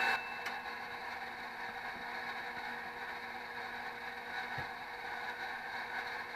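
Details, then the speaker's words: HP Infiniium 500 MHz four-channel oscilloscope booting: quiet steady whir with a rough rattly edge and faint hum, very loud for the unit; worn cooling fan, possibly needing replacement. "why wow that's really loud that's not good"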